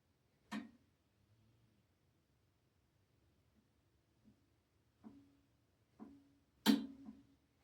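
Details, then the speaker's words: Blackstone E-Series 22-inch electric tabletop griddle on first warm-up: quiet room with sharp isolated clicks a second or so apart as heating elements switch on, normal; some smoke burning off, up to 10 minutes to full temperature. "You can hear some clicking in there. And that's just the heating elements being switched on for the first time."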